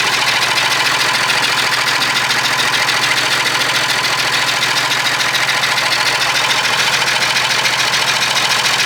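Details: Perkins 6/354 diesel in a White Super Power truck, first run after many years: rough clatter with steady chuffing about three and a half beats a second; rough running, owner suspects loose tappet or stuck valve chuffing.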